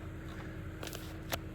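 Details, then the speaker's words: Hyundai Elantra G4FG 1.6 MPI, 214,000 km, after piston replacement for oil burning, cold just after start: quiet, even idle with no knocks or misses, faint light chirp now and then; cam phaser slightly ticking, harmless. "работает ровненько работает тихо Это самое главное"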